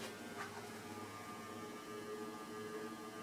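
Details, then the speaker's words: Antique Diehl ceiling fan c. 1920s, 40-cycle motor on higher pull-chain speed, bent blades: steady loud electrical hum with faint whine, no mechanical knock, runs slower than it should and sounds underpowered; cause suspected, loud motor hum at high speed. "and this thing hums insanely L yeah Mak a lot of noise"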